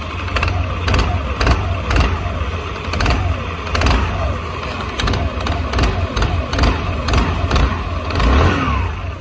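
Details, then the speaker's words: Honda SH150i (Italian), 10 years used, idling with a sharp repeated clack about twice a second: rattling worn CVT clutch, recorded before repair. "Đó nó kêu cạch cạch cạch cạch cạch luôn đó"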